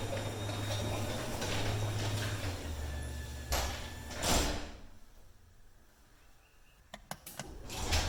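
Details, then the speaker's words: Metal rollers on 9x7 full-view garage door before replacement: rough rumbling run with uneven clinks and clunks as the door travels, then sharp knocks as it stops; worn metal rollers rattling in metal tracks. "all right there we go you get like this clinky clanky clunky sound going on so i'm gonna change the rollers out and you're gonna hear a huge difference"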